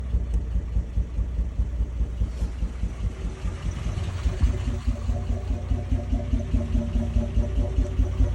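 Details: 1994 Toyota 80 Series Land Cruiser, petrol engine idling rough: a lumpy, uneven low thump about one or two pulses a second, rocking rather than settling smooth.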